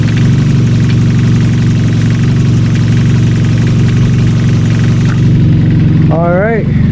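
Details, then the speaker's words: Mazda Miata, cold start: low idle with slight uneven shake in the beat; rough cold idle owner attributes to deleted idle air control valve, expected to smooth once warmed up. "Looks like it's running good. It is a little shaky, but that's because I deleted the little air control valve right here."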